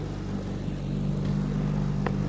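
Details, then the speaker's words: 1963 Evinrude 3 HP outboard idling smoothly in the background with a low, steady, even burble, no stumbling or surging, after the sticking carburetor float needle that left the bowl dry was fixed; ready for the lake. "She's back there idling in the background, and much better than that first video when we had it running."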